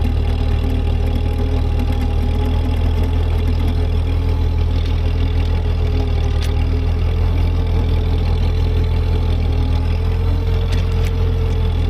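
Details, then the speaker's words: Ford 8N tractor, transmission locked in low gear, clearing snow under load: deep steady low-pitched chug holding even, no clunks or gear whine; gears sound good, normal running under load. "again the tractor is doing exactly what it's supposed to do gears sound good"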